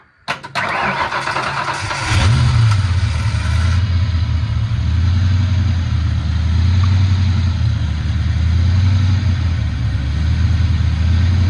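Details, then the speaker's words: Foxbody Mustang 302 V8, B303 cam, T5, 3.73 gears, first start since about 2021 after fresh battery, 4 gallons gas and fuel pump priming; brief crank then fires into a steady, even, lumpy idle with no knocks or misses, normal cold start. "She still runs."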